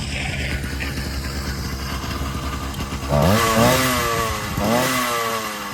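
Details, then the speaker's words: Small two-stroke pedal-start motorbike after bad gas was drained and fresh premix added; buzzes steadily, snaps up cleanly on two throttle bursts and drops back without bogging; now runs well. "Okay, got some new fuel in it, and it runs amazing now."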